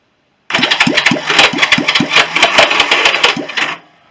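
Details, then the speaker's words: Rebuilt Honda CB350 turning over for compression test (120–140 psi): electric starter screeches and whirs in uneven pulses, turning engine weakly; starter clutch slipping from weak springs, later fixed. "Yeah, that starter isn't actually still not working that great. I think I might have to replace that. You can hear it, that horrible screech noise. That is the starter."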